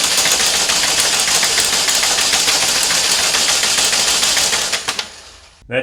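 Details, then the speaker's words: 2012 Chevy Malibu 2.4 Ecotec that died while driving, with a P0341 camshaft sensor code: the starter cranks at about three and a half even beats a second for five seconds and never catches; a crank-no-start traced to a jumped timing chain. "so i got a no start and i have a camshaft sensor code but apparently it's working well"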